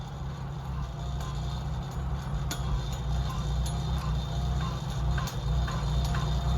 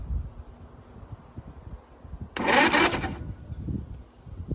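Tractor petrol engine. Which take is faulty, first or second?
second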